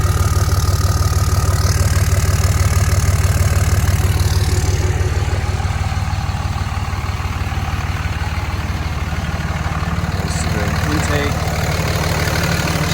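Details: Cummins diesel after 67 mm billet turbo install, with intake refitted: steady, even idle with smooth low rumble and regular firing pulses, no knocks or misses; healthy.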